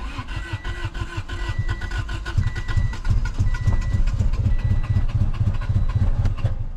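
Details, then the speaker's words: Honda Civic that sat about 10 years, with brake cleaner sprayed into the intake. Steady starter cranking but it never catches: no start from fuel starvation, with a dead fuel pump and a suspected gummed-up tank. "uh so yeah pretty much the the fuel pump is dead the probably the fuel tank is just gummed up with with nastiness so we're going to have to figure a good way to run this thing"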